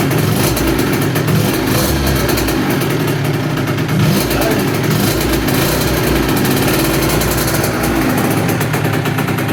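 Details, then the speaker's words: 2007 KTM 65SX two-stroke after top-end rebuild with Vertex piston, reused gasket, first heat cycle idling about 10 minutes: loud, steady, crisp even firing, free revving, no misses or rattles; healthy. "the ktm lives just finished heat cycle number one let it basically idle for 10 minutes"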